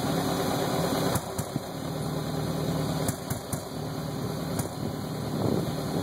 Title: 02/99 BMW 540I sport rough idle video